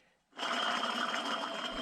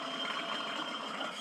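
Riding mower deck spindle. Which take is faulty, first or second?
second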